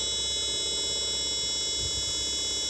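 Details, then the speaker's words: Chinese TV power supply regulator on test with a bulb as protection, B+ output only 7 V instead of normal: constant high-pitched wavering siren-like squeal from the faulty switch-mode supply. "Lihat, bunyinya kayak gini, seperti sirine."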